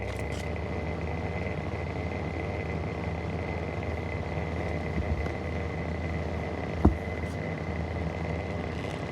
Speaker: guys, here is my vintage Mistral exhaust fan. And it's actually got very bad bearings.